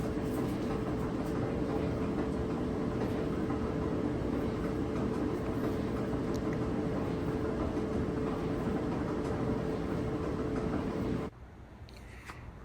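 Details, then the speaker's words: Dryer before drum roller replacement: steady rumbling knock about three beats a second while the drum turns, wobbling noise from a worn drum roller. "okay here's the before sound before the roller was replaced"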